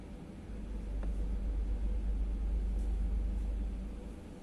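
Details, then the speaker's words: Brunvoll bow thruster after repair of its PLC electronics (damaged by a 24 V DC line overvoltage; burnt track and component replaced): steady, even low rumble swelling and settling smoothly, no knocks or grinding; thruster running normally. "отлично подруливающее устройство исправно"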